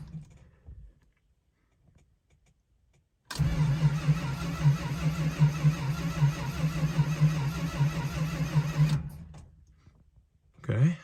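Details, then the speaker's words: 1971 Dodge Charger R/T, cold start after sitting over 4 months, sensitive carburetor needing a rebuild: flooded and loaded up, the V8 finally catches, running rough and lumpy before stumbling; owner plans a carb rebuild and possibly plugs. "okay so as you can hear i finally got the charger to run that took forever it was really loaded up it did not want to start so i had to use a little persuasion but we got there finally"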